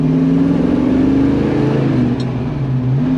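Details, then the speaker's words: Rear differential newly upgraded from a stock open diff with 2.80:1 gears to a Traction-Loc limited slip with a 3.55:1 ring and pinion, on the first gentle break-in drive: steady gear whine rising and falling with road speed; installer says the new gears are commonly noisy. "Okay, so right off the bat, I noticed that I can hear the whine of that rear end a lot more. The guy that I had taken this differential to have him do the work, he says that it's common for these this new system to be noisy."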